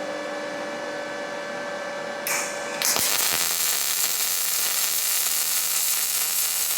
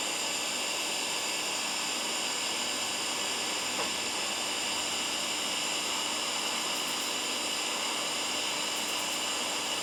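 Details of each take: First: Firstess (Yeswelder) DP200 MIG welder, pulse off, settings adjusted to be less violent: arc strikes into a smooth, soft, even hiss with little crackle; prettier weld but not digging in as deep. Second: Firstess (Yeswelder) DP200 in lift TIG mode, 125 amps on 1/8 in plate, manual shield gas valve: constant smooth hiss with faint steady high tones, holding even for ten seconds without crackle or breakup; arc runs normally.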